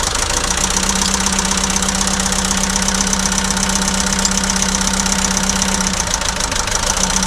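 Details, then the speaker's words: About 2006 JCB 180T compact track loader diesel, injector lines cracked while running: uneven clatter at about four beats a second; one cylinder unchanged when cracked, getting fuel but not burning it; rough running. "that just told us that that cylinder has a problem with it because I cracked the injector and it didn't make any difference no different sound but all three of these other injectors cracking those made it run a lot worse"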